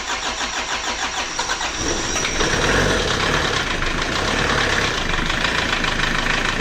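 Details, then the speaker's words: Chevrolet Trooper diesel, original engine 20 years unrebuilt, first start after engine rebuild: slow pulsing crank about two seconds before catching into rattly idle; long crank because injection pump lines were still empty. "ini awal setelah dirakit jadi agak lama hidupnya karena masih kosong pipanosonnya"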